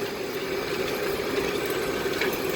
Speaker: hear any scraping screeching grinding it's the way it's supposed to sound